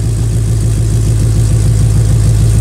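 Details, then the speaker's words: 2011 Mustang GT 5.0 V8 idling after a new exhaust system was welded in. A deep, mellow, even idle with a steady low rumble and no ticks or misses, more mellow than before; the tune possibly runs a bit cold. "Well guys, that is a lot more mellow than it was."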